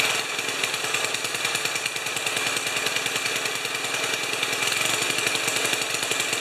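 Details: 1973 Tecumseh snow blower engine, first run after carburetor reinstall, on choke. Rapid, steady single-cylinder crackle, even, no knocks or misses; clean first start, normal running.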